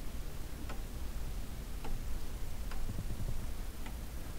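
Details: Pendulum chime clock (Westminster/St Michael's selector), weights and hammers just refitted, not yet leveled: soft tick-tock about once a second, slightly uneven between beats, in a quiet room; movement running fine.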